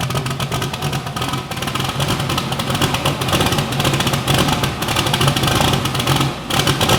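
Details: Bibbster hot rod V8 starting and revving, first fire-up after finishing the cooling system. The tune was richened to cure a slight idle surge and now runs fat; the cold-start setup may need changing. Fires and revs cleanly with a steady lope, no misfire or surging: normal.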